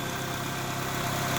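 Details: 2007 Pontiac Wave idling steady with a low hum and faint rough whirr on top from a worn clutch release bearing.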